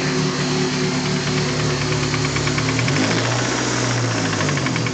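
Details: Freshly installed used SR20DET turbo four, knocking the day after installation: a steady, fast metallic knock keeps pace with engine speed over a rough idle, sounding like a worn connecting rod bearing; rod knock.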